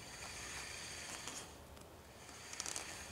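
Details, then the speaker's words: Quantum Edge 3 Stretto power wheelchair fitted with Permobil aggressive-tread foam-filled tires, drive wheel spun in neutral: soft, even hiss and whir with no scraping. The tire clears the motor by barely a finger's width, so no rubbing. "don't hear the tire rubbing on anything it can still just barely get my finger between the motor and the tire so that seems good there"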